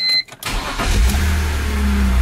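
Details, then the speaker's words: E46 BMW 330i M54B30 with M50 intake, ICV delete and N52 throttle body, after reflashing the ECU to fix a checksum crank no start: short crank, fires right up into a steady, even idle; water pump makes odd noises. "there we go fires right up and the water pump makes weird noises on this car but that's actually really good"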